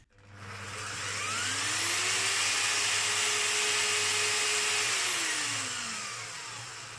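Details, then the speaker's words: Parkside bandsaw after blade replacement and repair check: motor spins up to a steady high whine and even hum, noisy but running smoothly, then winds down; normal running. The saw sometimes surges in speed by itself at medium settings. "Tada. Noisy, but it's there. That's fantastic."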